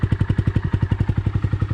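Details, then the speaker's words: 2020 Honda Grom at startup idle with a newly installed $90 Amazon aftermarket exhaust and header, spark arrestor in: quick, even, deep thumps at about ten a second with no misses, sounding like a dirt bike, louder but healthy. "Honestly, it sounds like a dirt bike when you eat with the spark arrestor in. It sounds pretty good, to be honest with you."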